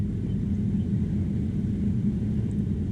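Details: Swapped 1983-87 climate control head unit in a 1975 Chevy C10, key on, fan switched through settings: steady even low whoosh of the blower at high speed, no rattle, squeal or wobble; blower running normally after wiring swap.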